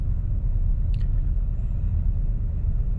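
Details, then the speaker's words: 2000 Buick Park Avenue after fixing faulty ignition control module harness: steady even low rumble at slightly fast idle, no knocks or misses; runs great and restarts; normal idle. "this is running great I'm going to shut it off just to see how it restarts"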